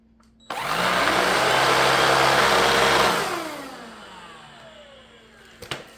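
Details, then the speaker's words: BLACK+DECKER BSV2020P power head after roller replacement and a fix for roller play and noise: smooth, even whir for a few seconds, then a clean falling spin-down with no knocking or wobble; much quieter than before. "So, we're back in business. That's a hell of a lot quieter than it was, trust me."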